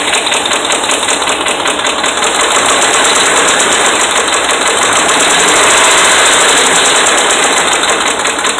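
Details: Dodge Ram 5.7 Hemi with bad connecting rod bearings and crank bearings, revved gently under 2,000 rpm: hard, regular metallic knocking, a couple of hits a second over a loud idle, steady throughout.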